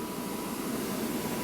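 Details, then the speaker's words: ABB demo rig: drive simulating mains running motor and fan, throttled mechanically by partly closed damper; steady rushing roar with rough churning texture and faint hum, turbulent airflow, slight volume reduction. "You see there's some turbulence, the balloon's struggling a bit, but it's under control. Bit of reduction in volume."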